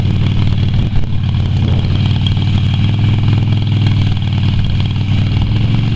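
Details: Yamaha Virago XV250 V-twin after six years in storage, oil topped up but not changed: steady low thumping idle with an uneven, lumpy beat underneath, idling rough.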